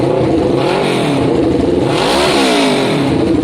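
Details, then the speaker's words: Kawasaki ER6n parallel twin, first start after sitting, with new spark plugs, airbox removed and a new battery fitted: raspy, uneven revving with some clatter as old fuel left in the lines clears on idle; cause unconfirmed. "Whoa! That is quite a sound. Guys, I'm going to give that a good 10 minutes to sit."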